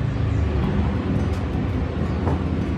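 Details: Repaired active subwoofer amplifier after driver transistor DB10 and a small 25 V 10 µF electrolytic capacitor were replaced, volume at full: deep, steady thumping bass with no hum or buzz; the amp now drives properly.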